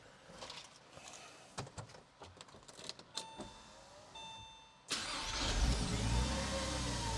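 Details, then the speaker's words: Porsche 986/987 Boxster/Cayman after starter motor replacement: engine cranks briskly and evenly, strong healthy cranking speed, far faster than the old tired starter. "Holy cow. This thing is transformed. Oh my gosh. That was night and freaking day."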